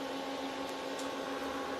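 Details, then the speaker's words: Used L3+ ASIC miner with cleaned hash boards and new cooling fans, on test at about 54–58° temps: steady soft low fan hum, no rattle or bearing noise. Low temps need little cooling, so fans run at low speed; normal. "So you can hear the fans are really spinning like really low at low speed, because of the temperatures are still very low, so it doesn't require a lot of cooling."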